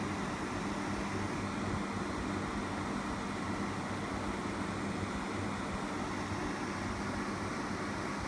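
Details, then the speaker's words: Frigidaire 8000 BTU R22 window air conditioner from about 2008–2009, low fan only, compressor off: steady even fan whoosh with a faint hum, no rattle, about 67 dB (C-scale, slow response) at roughly three feet. "you can see this is about 67 db i'm just fan"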